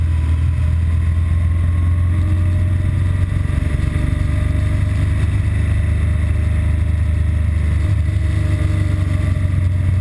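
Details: BMW R1200GS Adventure boxer twin filtering through traffic with a deep, even thrum and no stumbles, before its intermittent rough-idle and stall fault appears, which usually follows a 20-mile A-road run; running healthy.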